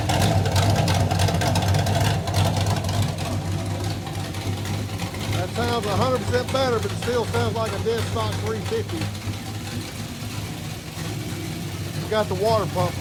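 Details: Kyle Petty No. 44 race car V8 with a new ignition and a water pump fix: deep, steady burble at an even idle through the open exhaust, running clean with no knocks or misses.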